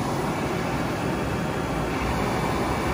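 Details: 1972 Mustang R-code: a brand-new heater blower motor with a reconditioned switch is test-run in the dash after installation. A steady, even rushing whoosh with no ticking, squeal or wobble; the blower motor runs smoothly and healthy.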